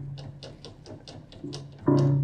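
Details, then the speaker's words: Upright piano not serviced in years: light, quick ticking rattle inside, about five clicks a second, heard without a key being struck, before a low bass string rings; rattling inside piano. "without hitting that rattling going on in there. So we have issues."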